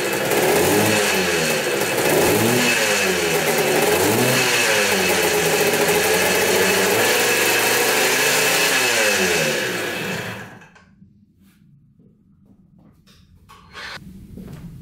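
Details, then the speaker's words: 1980 Kawasaki KDX175 two-stroke after fitting a silencer with an O-ring to dampen the noise: a crisp, even ring-ding through the blips, much quieter than before; normal running. "i'd say that's working that's a lot quieter definitely a lot quieter"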